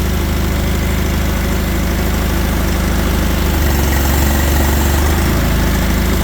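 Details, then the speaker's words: Old Allis Chalmers tractor stored about 20 years, running after fuel and cleanout, choke used, hydraulic oil leak noted: deep steady low thumping idle, even with no misses; normal idle. "So, she fires. That's something after sitting for 20 years."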